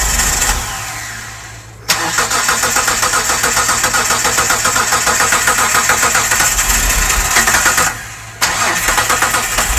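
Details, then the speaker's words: 1998 Mitsubishi 3000GT base SOHC 3.0L V6, sat 12 years, after new distributor, coil and PTU, gasoline poured in: long cranking bursts with rapid chugging and occasional catches but never runs; cranks, sputters, won't start. "See if she'll bark off for a sec. There should be some gas down in it. You hear that? >> I did. >> She's starting to catch"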